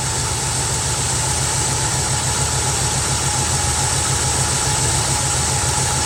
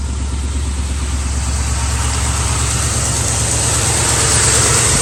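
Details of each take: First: Carbureted Mustang V8 cold start after replacing the bad arcing spark plug wire: even, steady idle with a smooth low rumble and no stumble or missed beats; idle sounds healthy and better. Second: Carbureted Ford Mustang V8 idling at night: slight uneven tremble and jumpy beat, one cylinder dropping out as a driver-side spark plug wire arcs to ground, causing the misfire.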